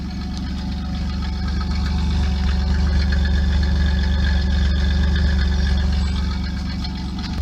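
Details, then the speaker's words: 1997 Pontiac Firebird V6, 5-speed manual, at idle: low, even rumble with steady pulse, no knocks, misses or hunting; idle does not sound bad, though it reportedly sounds worse when revved; normal idle. "So yeah, I don't know how it's going to show up in this video, but if you're actually here by it, the idle does not sound that bad."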